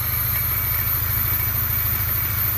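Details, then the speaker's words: Polaris Trail Blazer 250 ATV, bought as a non-runner, exhaust held on with baling wire: steady churning with choke and throttle but it won't catch cleanly. Owner suspects low compression; it needs a higher idle once running. "I just feel like it doesn't have enough compression. Alright, well, with a high-speed drill we can eventually get this thing running, and once it runs it seems to be okay."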